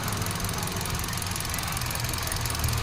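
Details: 2017 Hyundai Accent, misfire persisting after new ignition coil: lumpy, uneven idle with a low stumbling beat from one dead cylinder; one coil showed no firing, socket or ECU output being checked, cause not confirmed.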